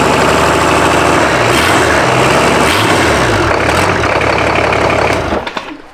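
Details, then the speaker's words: Rebuilt BMW D190 marine diesel, previously seized and sunk, first start with no coolant, run under a minute: loud, even clatter with steady beat, no knock, winds down at the end; oil pressure built, injection pump working, normal idle. "So enough to know that we build oil pressure, it's not knocking, and the injection pump is doing what it's supposed to be doing."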